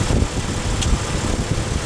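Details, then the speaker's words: 2006 Jeep Wrangler 4.0L, AC cycling on and off with low-side line icing; engine idling as low-side pressure switch connector is unplugged and replugged, one sharp click as compressor clutch engages; clutch cycling normally, not stuck. "I'll pull this pull this connector off the low side sensor and you'll hear it shut off I'll put it back on I'll do it a couple"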